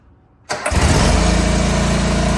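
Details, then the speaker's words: John Deere 425 mower engine after oil top-off and oil filter refit for an oil leak, started to check for leaks: starter whirs, engine catches and runs evenly with no misses, run about 10–12 minutes. Normal running. "All right, y'all. I actually let it run about 10 12 minutes."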